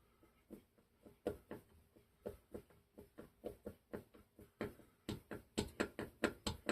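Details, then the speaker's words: Clinton model 410 small engine on a bench, not running: the piston is rocked up and down with the crankshaft held firm, giving dull clunks about twice a second. Suspected connecting rod play is the knock. "I'm holding the piston still, too. So it can't So it can't go like that. Now I'm going up and down. I'm not going side to side. I'm going up and down."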